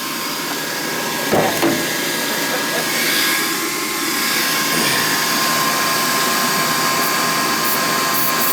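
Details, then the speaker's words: Ruud gas furnace about 27 years old, noisy after sitting a week; after the blower was given a little lube it sounds like it's supposed to: smooth, steady airflow rush with faint even hum, no squeal or scraping; normal blower. "Sounds better. It does. It sounds like it's supposed to sound."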